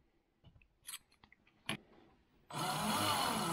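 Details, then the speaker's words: RC4WD Zetros 6x6 RC truck shifted into top gear with the diffs unlocked: the motor spins up to a steady unloaded whir but the drive never engages. The shift cable doesn't pull the pin fully out, and shortening the cable is being considered. "you can hear the thing is spinning and there is the problem look at that it doesn't engage fully and that is a problem we need to fix it"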